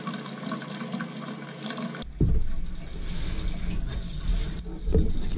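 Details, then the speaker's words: Crown boiler with no heat, second-floor heating zone being purged: rushing water through the purge hose with a fizzy crackle as trapped air is forced out of the loop into a bucket. "area all that noise is air all crackling now"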